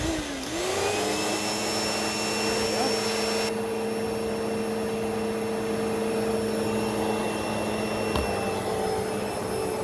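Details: Hoover Elite Rewind upright vacuum after a belt change (style 7910 belt), test run: steady high motor whine with constant tone, even airflow hiss and smoothly humming brush roll; normal running.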